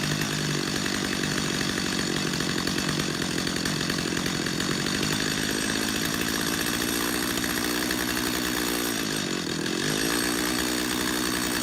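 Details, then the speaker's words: Chainsaw carburetor tuning, close-up: steady buzzing two-stroke idle that sags briefly as idle screw is turned down until the chain just stops moving; idle speed adjustment. "Go back to your idle screw, turn your idle screw back down until that chain just stops moving."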